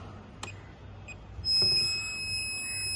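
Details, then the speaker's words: STEK cable tracer sending 3.2 kHz by clamp coupling into a black earthed cable; a click, then steady high-pitched hissing tones held evenly, showing the signal passing through the cable; normal cable tracer signal tone. "When I click on start, you can hear a prominent hissing sound. Which tells you that frequency is passing through the cable."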